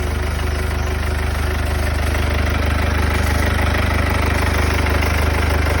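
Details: Mercedes W205 C220 CDI, OM651 diesel, cold start: steady, even knock about three times a second over the low idle drone, coming from the front; cause unknown.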